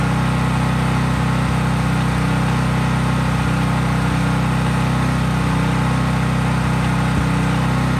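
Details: Craftsman 5000-watt generator outdoors after a cold start, with no load (only an LED bulb plugged in): a constant-speed, even hum with a steady low drone, no surging or misfires; normal smooth running.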